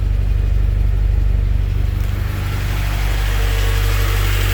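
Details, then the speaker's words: K-swapped Honda Civic at warm idle after about 10–15 minutes of running, with oil pressure 47 and oil temperature 80, slightly rich: steady even idle with a smooth low hum and no taps or misfires; normal warm idle. "stinks man it sounds good now engine sounds a little quieter"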